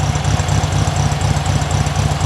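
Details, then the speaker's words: 1972 VW Super Beetle air-cooled flat-four (engine type unknown) at idle after about 10 minutes' running, timing and carb just adjusted; runs rich and has an unexplained stalling issue; low, lumpy but even putter, no knocks or misses; normal idle. "all right guys engine is well doing Engine things like I said been running for about 10 minutes now I adjusted the timing a bit played with the carb"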